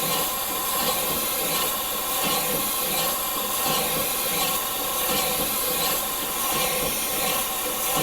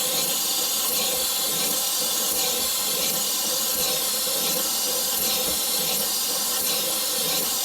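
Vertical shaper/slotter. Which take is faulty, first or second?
second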